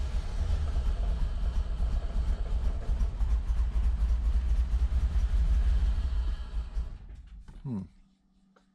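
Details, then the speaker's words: 1986 Chevrolet Corvette C4 Z51 V8, manual, first start after over 20 years in storage, oil pressure good: loose, uneven low rumble with a stumbling beat for several seconds, then dies; rough running. "thing sounds terrible all pressure is good sounds terrible"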